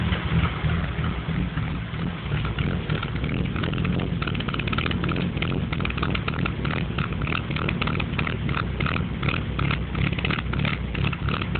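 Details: BMW 325 non-VANOS engine with a deep, uneven idle and a lumpy, wavering beat with no steady rhythm; cause not found. Rough idle.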